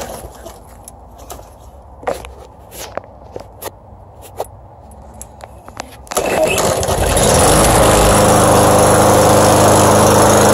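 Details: Brand-new Craftsman self-propelled push mower with a Briggs & Stratton Gold Series 150cc OHV engine: a few handling clicks, then a pull start. The single cylinder fires at once and settles into a steady, even run.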